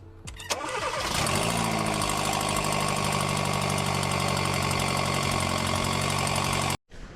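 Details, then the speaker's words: Hyundai New Tucson with a cracked turbo exhaust manifold and play in the steering box: cranks, fires and settles into idle with a quick puffing tick riding over the engine, a loud exhaust gas leak. "essa Neo aqui que acontece ela trincou o coletor da turbina tá fazendo um barulhão de vazamento de gás de escape"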